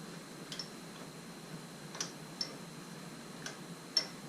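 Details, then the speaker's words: 2003 Mini Cooper AC compressor, removed from the car and turned slowly: sharp, uneven ticks every second or two, audible even at slow speed; worn compressor internals, to be replaced along with the drier. "So I have the oil compressor right here, and there's the noise."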